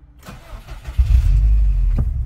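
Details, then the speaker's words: Subaru STI 2.6L with TD05 20g turbo, stock exhaust and intake, using the ignition-on, pedal-floored-twice start procedure: short crank then engine catches immediately and settles to a steady, even idle; normal start instead of long cranking. "i teraz fura powinna normalnie zapalić sprzęgło i pali od strzała"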